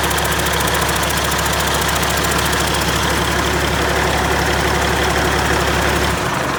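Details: Caterpillar C-15 diesel at first start after overhaul, idling: steady, even clatter and deep drone with good oil pressure, no vibration or knocks. Normal diesel idle.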